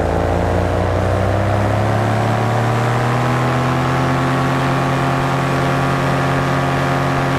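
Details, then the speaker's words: BlackHawk Titan 210 paramotor two-stroke, in flight after break-in, about 8,200 rpm max: even drone climbing cleanly as power is rolled on from idle, no misses or rattles; smooth normal running, almost like a 4-stroke. "The greatest thing is this motor is really, really smooth. Not sure if you can hear that, but I can drop down to an idle and just roll the power on."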